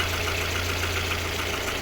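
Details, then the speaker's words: VAZ 2112 8-valve after valve stem seal replacement without head removal: steady idle with busy, tinny clattering, runs well but noisy; expected to quieten once warmed to 90 °C. Cause not confirmed. "Я думаю що допоможе тому так працює непогано в принципі просто шумно"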